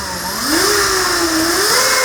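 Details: E-bike hub motor on a newly installed Flipsky FT85GS controller, after setup: smooth, rising electric whine that climbs and holds with throttle steps, no grinding or clicking; motor spins freely and evenly.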